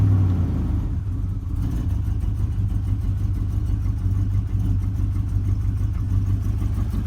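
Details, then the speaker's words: 2000 Chevrolet Silverado after spark plug and thermostat change for hesitation and overheating: low, heavy idle with slightly uneven, lumpy beat; still running a little rough. "man this this trucks is still running it's running a little bit rough it's still acting like four key looking for the trash can"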